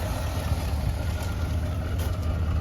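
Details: Boat-tail Buick Riviera, just refilled with oil, power steering and transmission fluid: low, even V8 rumble with a steady beat and no knocks, ticks or misses; steering feels easy; normal idle.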